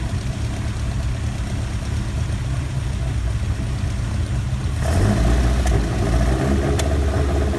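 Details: Ford Kent Crossflow 711M with Dellorto carbs, just fitted with AccuSpark electronic ignition, distributor cap rotated 180°: rough uneven running just after first start, light tapping with a lumpy patch of carb spit-back; owner suspects rockers need adjusting.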